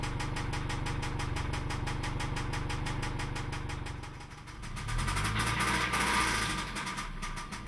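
A steady knock about four times a second rides over the idle and stays regular as the engine runs; clear engine knock.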